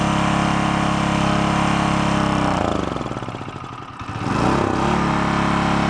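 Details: Onan K450 portable generator, yard-sale unit that sat a long time, first fire-up after mixture set: even single-cylinder thrum holding speed, one brief sag then recovers and settles; running properly.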